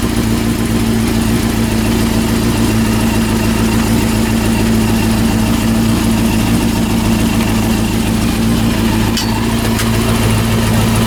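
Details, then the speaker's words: Honda CB400 engine rebuilt, after carburetor mixture and synchronization adjustment: steady even engine hum at constant pitch, no knocks or rattles; normal running. "so so hey the sound is good not so bad not so bad damn it okay the best engine noise i can't hear bad engine noises"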